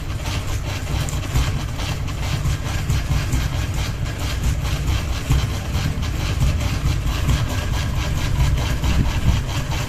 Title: Ceiling Fan Noise 1 Blade Wobble with Ball Hanging | Kipas Angin Gantung 1 Baling-baling